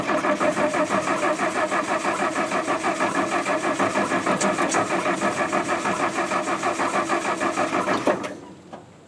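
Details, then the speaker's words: International R-185 fire truck, sitting about six years, first crank attempt, likely flooding; starter churns steadily, about three pulses a second, never fires; no spark from dirty points, later cleaned with emery cloth. "I checked the points and they were dirty so I got some Emery cloth and I cleaned them and I got a spark"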